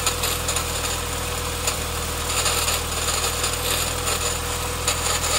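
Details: Nissan CA18DE engine, recently bought: busy metallic rattle over the running engine with sharper bursts about every second; engine rattle, source not identified.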